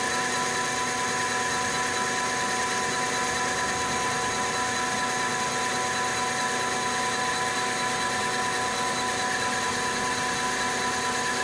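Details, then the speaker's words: Lathe longitudinal cut on heat-treated and tempered 4140 chrome-moly steel at low speed, 0.025 depth of cut; steady level hiss without chatter or tearing bursts, finish far smoother than annealed; normal lathe cut. "so at low speed the uh the Finish is still a hell of a lot better than the uh the just plain anneal you can see that it kind of chunks have been torn out of the annealed one whereas this is relatively smooth"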